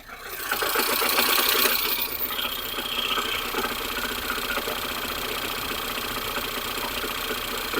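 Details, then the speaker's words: Ford Fusion 2.0, cold engine at idle, microphone at the front of the engine bay: a fast, uneven metallic rattle that vanishes with a throttle blip and returns at idle; caused by a broken flywheel ring gear, not the engine. "vou deixar o microfone lá vocês vão ver quando acelero ele faz e volta o barulho quer ver ó"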